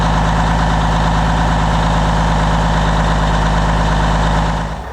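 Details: 1994 International 9600 cabover, N14 Cummins diesel, 561,000 miles, bought as parts or repair, just fitted with fresh batteries: steady clattery idle sags and winds down; it starts but keeps shutting off with oil and water light blinking; cause not yet found.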